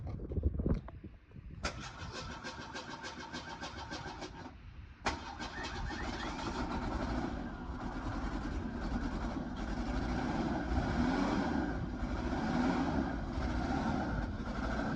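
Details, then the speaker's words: Fox Body Mustang, started cold after sitting about 7 years: two cranks, catches, then rough lumpy idle, not running on all cylinders; misfire, wet distributor cap suspected, disconnected spark plug wire found. "Rougher as shit. It's been sitting a while, and it's cold. It's not running on all fours."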